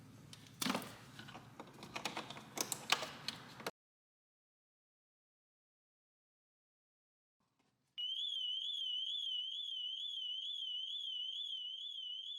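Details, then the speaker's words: 270k-mile 2006 BMW X5 manual: loud high warbling alarm siren rising and falling several times a second after clicks and knocks; car alarm triggered during repair work. "I think my ears started bleeding. That was really cool. That was so bad. I couldn't even - I couldn't even think."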